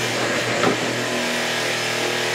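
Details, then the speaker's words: Reef Vacuum RV-20 pump cleaning an aquarium sump: steady pump hum with a brief slurping surge as the nozzle touches the sump bottom and sucks the hose down, then the hum settles back. "that noise is me touching the bottom of the sump, and it actually pulls the hose down and it's sucking so hard."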